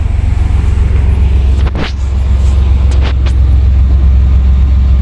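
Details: 1998 Chevy Silverado V8 after fuel pump replacement, engine running: deep, steady low rumble idling evenly with a few light handling knocks over it; engine sounds healthy, normal idle.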